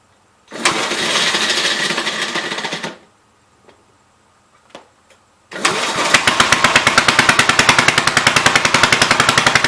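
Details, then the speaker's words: 1958 Gravely LI walk-behind tractor, first start after sitting for years, with old oil and fuel leaking. The single cylinder fires in uneven pops, stumbles and dies, then backfires through the intake and ignites the leaking fuel. "That sucker popped back through the intake and lit up all the gas that was leaking out."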